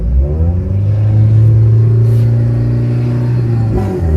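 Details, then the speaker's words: Car engine running and revving after fitting a noise suppressor to cure alternator whine in the audio system: only a low exhaust rumble is heard, with no whine rising with revs in the speakers. "то есть как вы слышите фона никакого нет шумоподавитель и спас помог нам"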